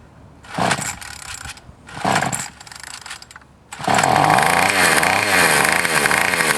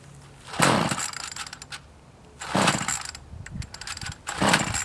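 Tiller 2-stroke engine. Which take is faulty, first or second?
second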